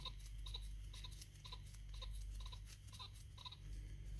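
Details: Renault Espace 3 2.2 dCi: faint, uneven clicking and ticking as the worn water pump bearing is turned slowly by hand; tired pump being replaced.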